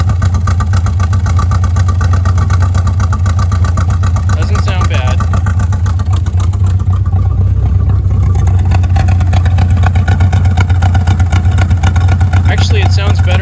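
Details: Chevrolet Bel Air carbureted V8 after setting timing to 12 degrees advance at 900 rpm, acorns found in exhaust: deep uneven idle sagging and wavering near stalling; rough idle, owner suspects it ran out of two-year-old gas.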